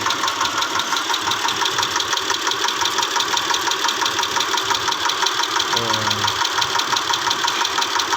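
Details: 2010 Mitsubishi Pajero, 6G74 V6, at idle: a sharp metallic tick about three times a second over a steady idle, from inside the engine; engine knocking, cause unknown.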